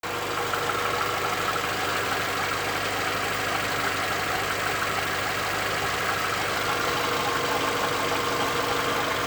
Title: Audi A4 1.6 ALZ engine knocking